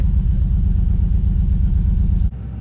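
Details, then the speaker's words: GMC Squarebody with LS swap, after snugging the spark plugs: lumpy, uneven low thumping at idle with one whole bank not firing; misfire traced to a loose ground wire bolt at the back of the cylinder head. "mess that whole side is not firing something ain't right somewhere that whole side is not firing"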